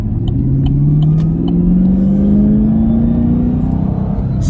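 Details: Camaro SS manual transmission, bought from dealership (dealer called it clutch): mechanical whine climbing with road speed, heard in first gear; whine present first through third, worst in third, silent in fourth.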